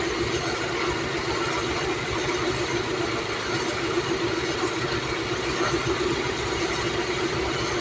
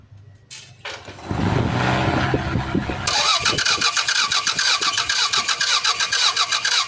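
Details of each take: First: Toyota Corona (about 1996) after fitting the computer box and connecting the previously unconnected relay: smooth, even idle with steady firing and no misses or knocks over about fourteen seconds; normal idle. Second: Toyota Corolla, possibly a 1996 model, manual transmission: starter spins the engine in a quick, even rhythm but it never starts; no injector pulse and no high-tension spark; crank no-start traced to a failed engine computer box.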